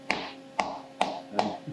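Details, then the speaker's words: Five crisp hammer taps at the end of a titanium plate, being faced from .800 to .375 in on a milling fixture, after tapping it down with clamps snugged lightly. Each tap sounds solid with no rattle, so the plate is now seated firmly on the fixture. "hear how solid that is now at the end compared to the way it sounded before."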